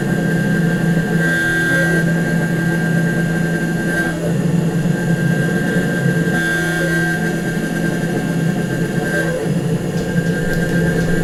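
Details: Nomad 883 desktop CNC mill cutting a small test gear with a 1/8 or 1/6 inch end mill: steady spindle drone with a buzzy, wavering chatter that comes and goes through the cut, though the edges look okay.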